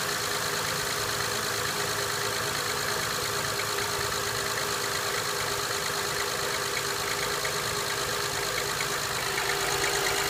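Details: 2005 Honda Accord EX V6, 131K miles, cold start idle: light, fairly regular tapping about three per second over a hissy top end; piston slap suspected, not confirmed.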